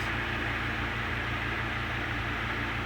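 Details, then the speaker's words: Antique Emerson 16-inch desk fan, type 73648, after fitting correct head wires, on high at about 110 V drawing just over 3 A then leveling near 2.75 A: steady even whoosh, constant low motor hum, no knocks or rattles; running smoothly. "now it's not high you'll hear it slow down when i drop it down medium and it still picks up speed"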